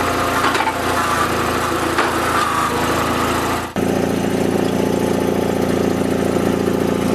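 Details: Toro Wheel Horse 416H lawn tractor with an opposed-twin Onan engine, started with choke: a smooth, even twin-cylinder beat holding steady speed, with a brief load change midway. Normal running.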